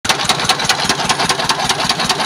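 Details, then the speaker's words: S1125 single-cylinder diesel that ran out of oil and was refilled and restarted: hard metallic knock about five times a second, every revolution, hammering through the run; connecting rod knock. "Waduh, kok bisa gini ya suaranya? Apanya ini? Jadi, dari rumah saya mendengarkan suara yang aneh pada mesin ini."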